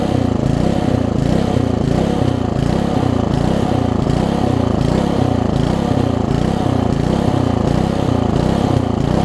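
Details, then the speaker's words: Old (1996 or later) Troy-Bilt Tuffy tiller, 4 hp Briggs, left outside, before repair, air filter cover off: loud chug swelling and sagging about eighty times a minute; rough surging, owner thinks original carburetor too far gone despite new diaphragm. "I did put a diaphragm in it and they got it running for a little bit but I think carburetors a little bit too messed up to truly worry about fixing"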